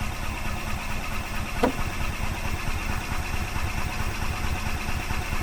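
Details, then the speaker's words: 2005 Club Car Precedent gas golf cart, sat about five years, cranking after choke is applied: low, uneven starter churning with no firing; owner suspects a varnished carburetor bowl. "okay I'm going to give it some choke the bowl could be varnished on the carburetor"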